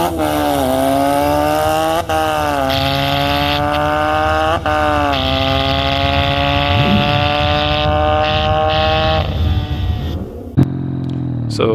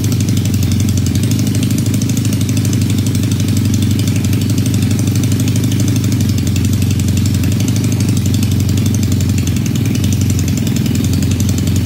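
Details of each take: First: Supercharged 1968 Honda CL175 land speed bike at the drag strip with boost raised to 8.5 psi: engine screams up through the gears, revs flaring briefly at each shift; the clutch slips under boost, later replaced with a performance clutch. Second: Supercharged 1968 Honda CL175 land speed bike with Roots blower, after clutch swap: steady even single-cylinder idle with firm regular pulse for fifteen seconds; smaller blower pulley improves idle.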